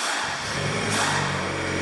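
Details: 2008 Honda Civic 1.8 after an engine swap, crank but no start: steady, even idle with a slight rise in speed, running only with the scan tool plugged in; main engine ground G101 is missing.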